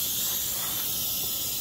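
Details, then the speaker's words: BMW N55 turbo engine, smoke/pressure test at the intake with the engine off: a loud, steady, high airy hiss from a huge boost leak, suspected at the turbo inlet. "is a what's that that is a huge leak my friend I don't even know where. I have a feeling that's coming from the inlet, the turbo inlet, and that's no bueno."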